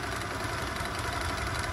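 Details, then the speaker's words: Piaggio Zip scooter after a service for a noisy engine: a steady, even idle putter with no knocking, rattling or belt noise. It now sounds smoother and quieter than before the service. "nah kelihatan suaranya lebih halus main ya Kelihatan suaranya lebih harus nggak berisik seperti di video sebelumnya"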